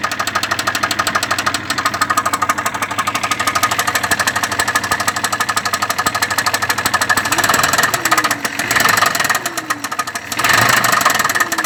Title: Стук в двигателе